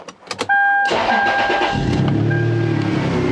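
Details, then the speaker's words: 2000 Toyota 4Runner 3.4 after coded P0300/P0305 cylinder 5 misfire: quick crank, then an even steady idle with loudish exhaust and no skips after swapping ignition coils between cylinders 5 and 1; smooth idle. "granted it's a little loud because of the exhaust but how smooth it is I cannot believe how smooth it is"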